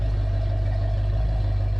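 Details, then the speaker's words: 1968 Pontiac ambulance V8 with an Aces Killshot throttle body EFI upgrade, warmed up: a deep, steady, even low rumble with no knocks or misses; idling smoothly and healthy. "So anyway, guys, she's pretty warmed up. I need to go get something to drink. So let's go get something to drink. Listen to that purr."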